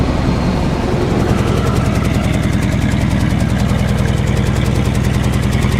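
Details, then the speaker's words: 1948 Chevy 1-ton truck, 216 inline-six, at idle, heard at the exhaust pipe: steady, even low burble, no misses, knocks or ticks; runs really nice and smooth, healthy motor. "Very sweet sounding motor. Listen to that purr. Great sounding motor."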